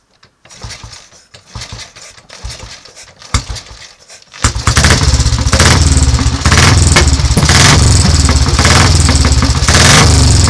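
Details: Royal Enfield 350 cafe racer, carburettor needle raised, no choke, started by tickling the carburettor: a few kicks, then the single catches and settles into a steady thump near 200 a minute, running cleanly.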